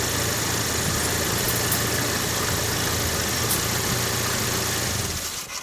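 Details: Opel Vectra A with low-frequency hum while driving that fades when turning one way: worn wheel hub bearing; on the jack, the raised wheel spins with a steady rough droning hum and gritty hiss, while the other side is quiet.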